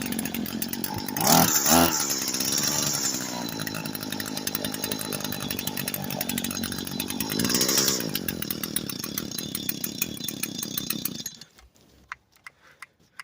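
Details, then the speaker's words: Echo SRM 225 string trimmer, re-choked and restarted after refitting a part. It runs raspy and uneven for about eleven seconds, surges once, then cuts out and dies; better than before, but cause not found. "But so it got better, as you can see, but it still died probably just."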